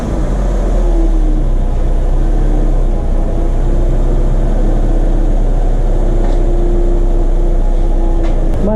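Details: 2015 Suzuki Jimny Gen 3 after replacing the noisy belt tensioner bearing: steady, even idle with a smooth low hum and no chirp or whir from the belt drive; normal idle.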